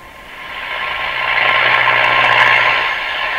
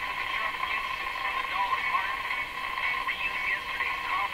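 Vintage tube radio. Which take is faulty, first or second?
first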